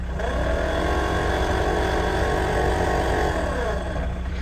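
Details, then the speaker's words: Warm 1979 Peugeot 504 diesel: the cabin blower motor makes a steady grumbling, rumbling sound under the fan hum. It is intermittent and sometimes fine. Not yet inspected; the owner wonders whether something is stuck in it. "so the blower motor does make kind of a grumbling rumbling sound that's on"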